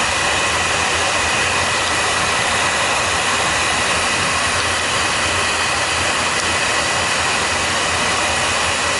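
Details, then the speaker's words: Oil burner firing during a combustion check, after another nozzle was tried and made it worse: a steady, even hiss and roar with no surging, puffing or sputter, running clean and lean. Normal burner operation. "It's running clean. It's running clean and lean."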